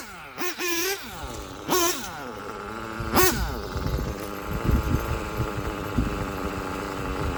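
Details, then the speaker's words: STS D21B Dragon nitro engine on Traxxas Top Fuel 33% nitro, after torture test: a few sharp revs then a lumpy uneven low putter, idle set too low and sounds about to stall; idle then raised. "Idle seems really low. Sounds like it's about to stall."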